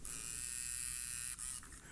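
A thin, high motor whir for about a second and a half, then it stops; the lens extends normally at switch-on.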